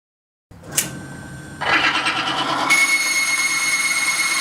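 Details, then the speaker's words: Timken bearing test rig under a 5 lb load, lubricated with Frog Lube: the motor spins up, then a harsh grinding rush with a piercing squeal builds as the lubricant fails within 5 seconds and the bearing seizes. "it's a different product but has essentially the same result and fails within 5 Seconds"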